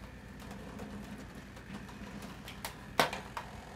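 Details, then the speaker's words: Heathkit Hero 1 robot doing its power-up homing run to all limits: small motor whirs steadily with light rattle and sharp clicks as the arm is pulled fully in to position 30; normal operation. "homing feature takes it to all its limits that's 31 and you'll hear a bit of rattling and what that is is pulling the arm all the way all the way in to 3-0"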